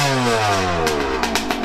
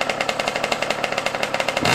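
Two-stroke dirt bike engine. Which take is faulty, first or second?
second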